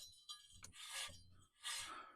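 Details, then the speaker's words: 2016 Hustler Super Z 72-in zero-turn: the removed electronic PTO clutch, spun by hand near the mic, gives dry, gritty rasps. Its bearings are gone; they probably locked up, overheated, smoked and stalled the engine. "you can hear the the bearings in this are completely gone. So what I think happened is uh this locked up on me."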